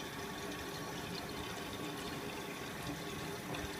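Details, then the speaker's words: Miele W562 Prestige Plus 6 washing machine, Cottons 60°C, entering second (added) rinse after anti-crease after a 900 rpm spin; even, steady rush of water into the drum without knocks or surges; normal rinse fill. "going into the second rinse does a little like anti crease and then we fill"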